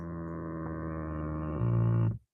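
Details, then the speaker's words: Nissan Altima driver's power seat with slide not moving: steady low electric hum with buzzy edge growing louder then cutting off sharply; seat motor getting power but seat not moving, cause being investigated at switches. "That's not me, that's the seat making that noise."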